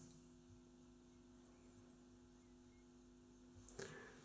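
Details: Philips Reverbeo B7X14A stereo valve radio under restoration, first power-up on long wave at max volume with a whip antenna; only faint mains hum, no station or hiss: EBF89 fitted in place of the EF89, killing reception.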